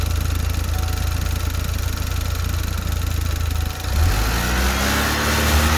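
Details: Saturn Sky after replacing the drive belt tensioner, whose old bearing had failed: engine idles evenly with a smooth low hum, then picks up slightly, with no chirp, rattle or belt noise; healthy running.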